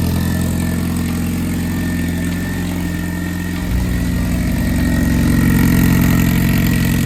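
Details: Boosted Honda B20B4 turbo four after repairs (new ground wire, new oil feed line, fuel fix, wastegate plumbing corrected): engine catches, then settles into smooth, even low idle at about four beats a second, no knocks or stumbles.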